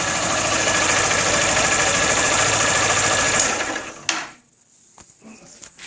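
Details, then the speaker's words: Honda Fan 160 motorcycle, noise began after the first 1000 km service: quick even ticking about 3.5 per second at low idle until shut-off; some suggest cam chain, others the injector working; cause not confirmed. "Tá com um som estranho no motor que não tinha. Depois que da primeira revisão de 1000 km, começou um barulho estranho aqui"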